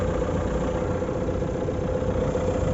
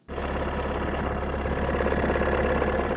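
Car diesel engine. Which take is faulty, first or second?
second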